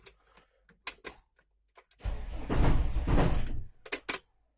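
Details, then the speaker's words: 1996 Mercedes Vito 638 2.3 turbodiesel: sharp knocks as it cranks and fires, then a short rough rumble before settling, from the flywheel area. Knocks only at start, not when driving. Starter bendix and ring gear checked OK. "Со стороны где-то коробки или маховика, или поддона. Ну, где-то там, вот в районе маховика."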